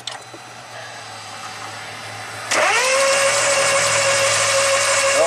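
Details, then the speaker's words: 2016 Smart car, 127,000 miles, losing power then quit running: cranking with starter whine climbing and holding, engine spinning fast and light without firing; cylinder 1 compression only about 4-5 psi, spark about 46° after TDC, timing way out. "we got 5 lbs of compression that's fantastic okay fun times all right so obviously the timing is way way out on this thing"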